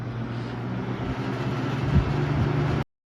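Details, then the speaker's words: Vintage shaded-pole box fan on high, previously buzzing for no reason: constant low electrical buzz with steady hum under the airflow, no speed change; motor winding buzz from loose stator windings. "I mean I don't know I mean if your fan is buzzing you'll know because it'll usually be kind of obnoxious or it'll sound not right"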